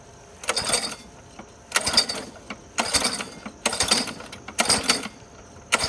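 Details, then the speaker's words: Craftsman 21-inch mower, Briggs & Stratton 550 series, trash find, reassembled without blade, primer pressed three times: about six rattly cord pulls without catching, then smoke; flooding suspected, no throttle control. Hard starting. "Well, we got some smoke. I don't know. Something wrong. I think maybe it was flooded."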